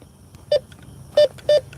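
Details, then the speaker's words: Bounty Hunter Tracker 4 metal detector in metal mode on a night park hunt: three short, clean mid-pitched beeps from nearby metal structure, such as a pole, rather than a buried target. "More structure. And like in other detectors, when you're coming up to a metal pole, don't go side to side, go straight into it."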